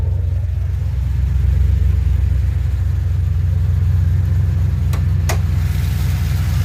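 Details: 2007 GXP with Sloppy Stage 3 cam, VATS and DOD deleted via HP Tuners, first start-up, idling as it starts getting hot: deep loping choppy idle about four pulses a second, otherwise smooth; healthy performance-cam idle.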